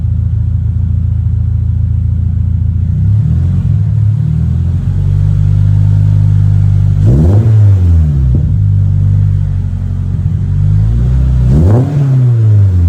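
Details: 2023 Toyota GR86 just after installing an aftermarket exhaust (transcribed "NVIDIA 1") in place of OEM. Deep, smooth rumble, then two clean rev blips rising and falling with a low, throaty tone. Normal revving, healthy engine.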